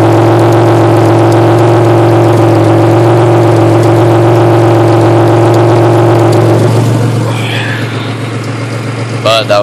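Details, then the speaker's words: 1993 Chevrolet Beretta GTZ 3.1L V6 (replacement motor said to have 110k), K&N filter, new radiator: held at steady high revs with a buzzy, tinny rattle from a makeshift exhaust with a can, then settling. "so it's got a lot of rattle to it it's because i did a uh a pretty redneck job on the uh exhaust i haven't had the time to really make it perfect"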